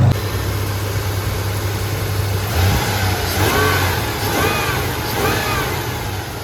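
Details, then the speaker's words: 3rd-gen Toyota 4Runner that starts a little rough, cylinder 5 misfire code and suspected bad head gasket with coolant smell; steady idle and three clean blips, no knock, tick or stumble; smooth revving, no audible fault. "But otherwise, the motor sounds healthy. It doesn't sound like it's making much noise. It's smooth, so I don't know."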